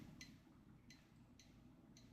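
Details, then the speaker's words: Meter testing a suspect roughly 22–27 µF capacitor: a brief sharp click on each probe contact, about every half second, over room hum. Not normal; the cap is suspected shorted. "Every single time I go at it, it get a brief I don't know if you can hear that. I get a brief click out of my meter. Yeah, as far as I can tell, that's not normal."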